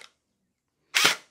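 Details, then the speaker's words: Splatrball gel blaster gearbox after replacing stripped plastic gears with all-metal gears, stock spring, motor height set by screw: one sharp, clean firing crack, no dragging or grinding, sounds different from before; normal cycling. "Definitely a different sound from before."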